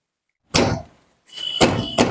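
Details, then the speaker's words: Car wheel rocked by hand during a suspension check: sharp metallic clunks with a ringing edge; an iron knocking like this indicates worn brake caliper pins. "ఇప్పుడు తండ్రి అప్పుడు iron శబ్దం వచ్చింది iron శబ్దం వస్తే క్యాల్బర్ fils పోయినట్టు ఓకేనా friends"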